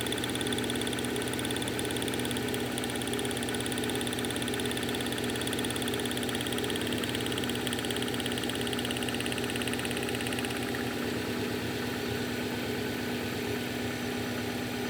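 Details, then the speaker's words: 1997 Subaru Outback EJ25D cold start a few years after a head gasket and full reseal job; uneven idle with an irregular stumble, a misfire from low compression. "so let you have a quick listen to it now that it's cold starting with the misfire"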